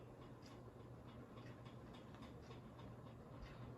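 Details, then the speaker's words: 42-inch Synlix ceiling fan after cleaning, loose bottom piece taped on threads: light regular ticking about four times a second over soft hum after speeding up; owner thinks bottom piece makes the noise. "so yeah i think it's that bottom piece that makes that noise oh no it's odd but it wouldn't bug me if i had this in a room or something"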